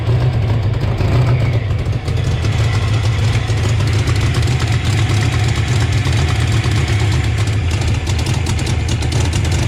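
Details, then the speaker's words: 1988 Mustang GT V8 first start after a Trick Flow top-end kit: deep steady idle with a faint, fast ticking puff from an exhaust leak around the header collector, though everything seems tight. "very interesting somewhere see we can track down this exhaust leak everything seems tight it's around that around that collector right there"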